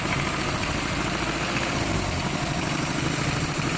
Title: 240sx Ka24e rough idle